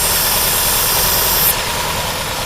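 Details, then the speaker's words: 2010 Chevy Aveo 1.6 Ecotec at idle with misfires: loud, steady high hiss from a PCV vacuum leak in the valve cover, where the PCV system is integrated. Fixed by replacing the valve cover. "whenever you have one where you can hear vacuum coming right here it's got misfires and everything else"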